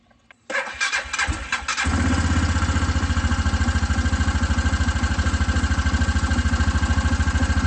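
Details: Hisun Vector 500 4x4 UTV: a few quick cranking bursts, then it catches and settles into an even, steady thumping idle of about three beats a second.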